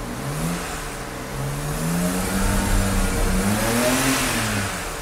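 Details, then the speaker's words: 2008 BMW 335i E90, N54 twin-turbo, free car reassembled after intake valve carbon cleaning, first start in limp mode: uneven revs under light metallic chatter, wastegates rattling; faults later show low-pressure fuel delivery rate out of range. "light waste gates are rattling like crazy"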